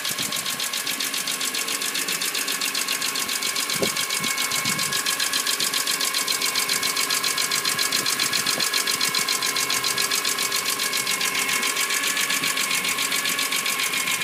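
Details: BMW E46 M3 at idle with an even, light ticking of about four per second; suspected valve train noise from loose valve clearance needing adjustment.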